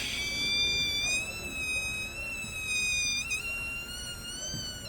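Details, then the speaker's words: Toyota Hilux front wheel: high, thin squeal at a nearly steady pitch wavering with wheel speed, from a dry front dust shield/deflector at the seal rubbing; cured by spraying grease, not differential, CV joint or hub bearing. "esse barulho incomoda você sabe onde é esse barulho aqui ó ó lá você lubrifica esse defletor aqui ó"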